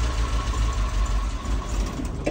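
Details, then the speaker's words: Mazda E1600 Bongo ute after topping the radiator and winding the idle screw 1.5 turns out. With the choke fully in, the uneven lumpy idle sags and dies within seconds. It still won't idle without choke. "stops is what it does typical all right can have a play with it see what it does make sure we've still got fuel which we do"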